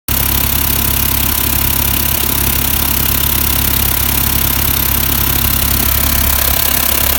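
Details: VW T4 diesel at idle: fast, uneven ticking and puffing clatter, about two beats a second; exhaust manifold suspected, unconfirmed; engine ticking noise.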